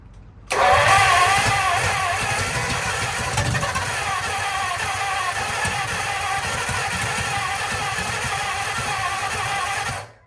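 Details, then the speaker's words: Lincoln V12 flathead cranking slow after engine-restore poured into plug holes, compression raised to about 90: starter churns steadily about nine seconds with no firing; spark confirmed, owner stumped, cause unconfirmed. "Well, I've been cranking it for a while, and it's the same thing."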